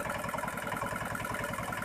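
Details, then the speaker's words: Dongfeng R180 single-cylinder diesel after repair of squealing noise from inside engine, hand-cranked: steady, even beat with no squeal or knock; runs normally. "Ayo kita coba engkol diesel kita tidak ada suara berdecit dan langsung"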